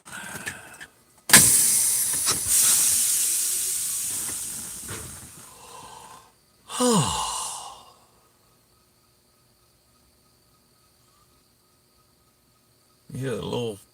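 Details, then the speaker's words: Truck trailer air-ride suspension, control valve cycled to load/unload rear axle and change wheelbase: soft hissing bursts of escaping air with faint whistle, then quiet; normal air system equalizing. "that whistling you're hearing is is that air system trying to equalize"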